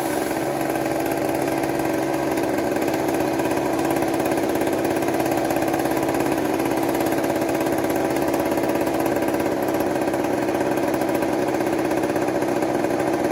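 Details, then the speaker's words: 1980s Mastercraft (Poulan-made) two-stroke chainsaw, revived after plug regap: steady high buzzing run at fairly constant speed, but spitting gas back out of the carburetor; owner considers turning an adjustment down a bit, cause unclear. "that's pretty rad um it's spitting gas at the car may turn on this down a bit see how that goes"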